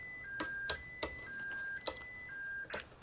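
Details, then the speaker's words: Racal Jaguar-U (BCC-72) military UHF transceiver, 1993 new old stock, stepping through its 29 memory channels, which need an external programming gun: alternating two-pitch warning tone between switch clicks, about once a second; channels are not programmed. "So as you can hear, the radio will protest because there has nothing been programmed."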